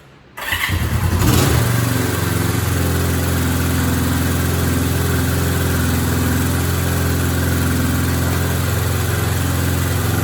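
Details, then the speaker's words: 1972 Honda CL350 twin, just started after restoration and carb mixture setup, about 5-10 minutes to get running: catches right away and holds a fast, steady idle well above normal before warm-up and idle screw adjustment. Finding: high idle. "Now right now, it's idling high, okay? It probably took me 5-10 minutes to get everything going."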